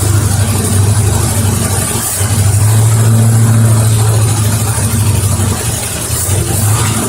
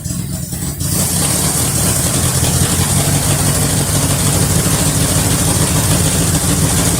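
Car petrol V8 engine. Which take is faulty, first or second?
first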